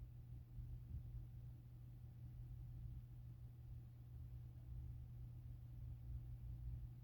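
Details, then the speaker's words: HVAC contactor with weak coil, about 2.1 ohms measured versus the roughly 16 ohms expected, pulling control voltage from 26 V down to about 11 V; steady low buzzing hum, contacts not pulling in, so heat strips stay off. Contactor needs replacing. "You're going to see the contactor start buzzing because the contact the coil is weak."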